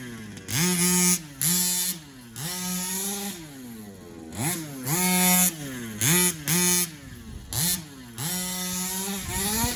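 Crisp blips climbing and falling cleanly between steady idle stretches, no stumbling or bogging: a small two-stroke revving freely and healthy.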